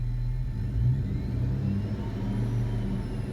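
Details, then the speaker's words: Truck car audio after fitting a 30 amp noise filter on the radio, engine revving: smooth low drone with no alternator whine, only a faint hiss likely from amplifier gains set at max before clipping. "not you come it's very faint but you it definitely took away a lot of the noise and I think this extra sound just come from me setting my gains"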